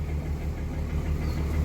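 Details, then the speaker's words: Cummins diesel, 253,000 miles on truck, engine around 113,000, idling low and steady with a dull, regular knock each turn and visible blow-by smoke; runs smooth but dislikes starting; bottom-end rod knock. "bottom end knock it sucks it's surprising how smooth it runs but it is not happy about ever firing up"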